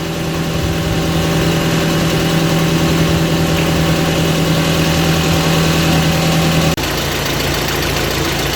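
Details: Audi TT Mk1 1.8T Quattro 225bhp 6-speed manual, after replacing the part behind a big engine rattle at idle up to about 2,300 rpm: smooth, even idle with a steady low hum and no rattle or ticking; normal idle, fix worked.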